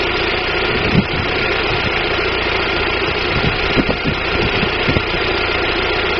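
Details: 1999 Daewoo Nubira 2.0L DOHC U20SED at idle: slightly rough, uneven low thumps and occasional stumbles, misfire; owner suspects weak spark from the DIS ignition coil, not confirmed.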